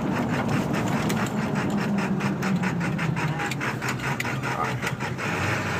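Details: 1999 Ford F250 7.3L diesel, 155k miles, Banks tuner, aftermarket turbo, intake, exhaust; idling in drive with uneven lumpy beat and irregular ticking, rougher than in neutral or park; owner suspects burnt valve cover gasket harness, unconfirmed.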